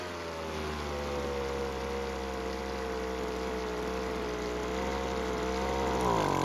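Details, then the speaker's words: Weed Eater two-stroke leaf blower, previously a no-start that kept stalling, after turning the carburetor L screw out for more idle fuel: even, buzzy drone holds steady, then climbs cleanly with throttle; now starts and runs healthy. "And luckily with a bit of tuning and mainly adding more fuel with the L screw, it now starts and runs."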